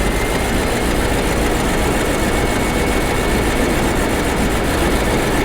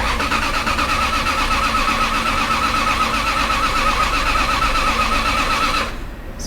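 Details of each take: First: Bentley Arnage T petrol V8, first start after engine strip and reassembly following about two years parked, idling steadily with no stumble; earlier misfire appears cleared. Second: Bentley Arnage T that sat about two years in desert sun, on its first start after reassembly, earlier had a misfire: the starter churns with an even pulsing beat for about six seconds without firing, an extended crank before it eventually starts.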